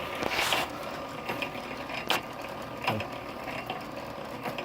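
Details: 103-year-old 1915 Century Model RS 1/4 hp motor on a 1916 power hacksaw, commutator mica not undercut, governor makes bushings jump as it kicks in: quiet, even hum with a few faint clicks, running smoothly.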